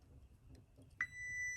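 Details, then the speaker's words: Chevrolet Tahoe with a P0300 misfire code, probing the coil pack harness pins with a multimeter on continuity: a steady high beep comes on abruptly and holds over a quiet room hum, so the wire is good. "here's my meter here and I'm going to put it on uh sound so it makes a sound so every time it gets the right one it makes a sound"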